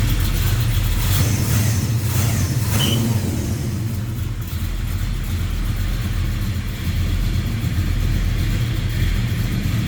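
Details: 1972 Chevrolet Chevelle Malibu convertible, 383 stroker V8 with Edelbrock aluminum heads and intake, headers, HEI ignition: deep, even burble with a clean early rev, settling to a steady lumpy idle, no knocks or ticks; healthy.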